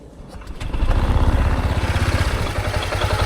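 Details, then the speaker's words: Honda Giorno scooter with block upgraded to 160cc, no mic: catches at once, loud for 1-2 seconds then turns quiet, quick even low putter; normal cold start. "Ayan, ang tahimik. Sa una, iingay siya like for 1-2 seconds, ganyan. Then biglang tatahimik na siyang ganyan."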